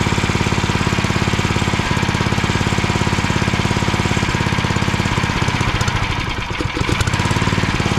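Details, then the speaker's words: Small single-cylinder log splitter engine unused about 2 years, old fuel, throttle full up: chugs evenly on choke at about 200 beats a minute with a slight stumble; runs only on choke, dies at low idle, dirty carburetor suspected. "it seems like it's running okay on on choke it keeps on running"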